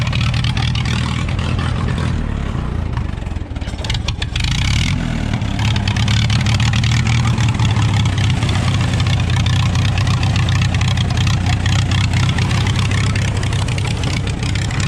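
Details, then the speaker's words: Allis-Chalmers WD tractor after its first start in 25 years, mixture screw set 1.5 turns out: it chugs with an uneven, hunting beat, running well only on choke. The carburettor is to come off again; the engine and timing are believed fine. "I'd probably kill it, dude. We're gonna have to pull the carburetor back off."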